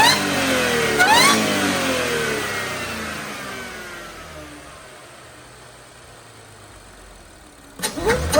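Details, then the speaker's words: Audi B8.5 S4 3.0T supercharged V6, stock exhaust and stock airbox, revved to redline at standstill with traction control off: clean supercharger whine rising and falling with revs; normal. "After I do the exhaust, it's going to be a lot harder to hear the supercharger whine, but with the stock exhaust, it's awesome."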